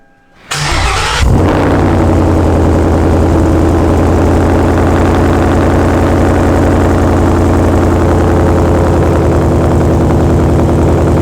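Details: 2017 Ford Mustang S550 with MBRP exhaust, new charged battery, after the battery drain wiped the PCM and it was reflashed with its tune: brief crank, clean catch, steady deep idle with no misses; normal start and idle.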